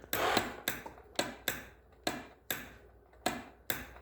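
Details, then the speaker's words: 2006 Honda Rancher 350 ATV with fresh battery, in neutral with brake held: sharp single relay clicks about twice a second but the engine won't turn over after one brief attempt; starter relay clicking, no crank. "Okay, that's weird. Sounds like the relay's working, but it's not turning over. It tried to turn over and then it stopped."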